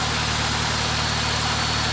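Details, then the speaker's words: Honda Civic: steady even idle, smooth low hum, no knocks or misses; transmission a little loud, but healthy car, normal idle. "but yeah it's a strong running engine and everything and it runs and drives transition's a little loud I I'm doing N Miss on it but it's a healthy car"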